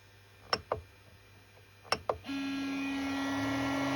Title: Creality Ender 3 v2 loud noise from base